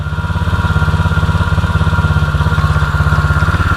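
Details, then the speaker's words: 2016 Tao Tao 110cc pit bike after top end rebuild; carb cleaner spray at gasket no longer raises idle: steady, even single-cylinder idle thump with no hunting or rising revs; healthy, considered fixed. "Nice, good seal. Look at that. I would say she's fixed."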